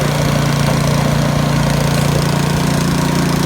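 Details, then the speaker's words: YardWorks 22-inch 179cc snow thrower found curbside, after auger belt replacement, throttle up while blowing snow; steady, even single-cylinder drone with no slipping, squeal or surging; normal running. "See what happens if you don't over tighten everything? Works out perfectly fine."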